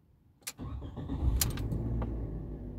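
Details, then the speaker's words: Fiat Mobi 1.0 (2021/22), first cold start of the day at 7 a.m., after a belt and tensioner job on an engine that used to make a loud coin-like rattle when cold: a short crank, a smooth even idle and no knocking. The oil light goes off quickly. "aí o carro já pegou Suave já apagou a luz de óleo"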